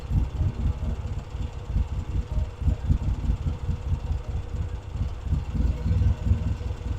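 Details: Vintage British motorcycle rebuilt from boxes, pilot circuit now working properly: crisp low thumping rising and falling cleanly with each throttle blip, settling back without stumbling; normal revving.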